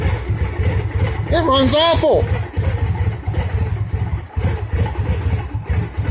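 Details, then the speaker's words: 2002 Victory V92C V-twin with an add-on injector fuel controller, after a TP-learn attempt: catches and stumbles with uneven, lumpy firing that never settles. It runs very rich, traced to the faulty fuel controller. "and it's running richer than crap still hmm"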